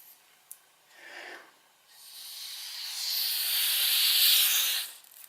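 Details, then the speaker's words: Airsoft gas blowback pistol, PDI winter piston head tested seated in the blowback unit: soft hiss swelling to a strong steady rush for about two seconds, then cutting off; slight air leakage past the piston head seal when fully back, less when forward. "So as you can hear that, there's a slight bit of leakage with this PDI winter piston head. well, when it's all the way back anyway."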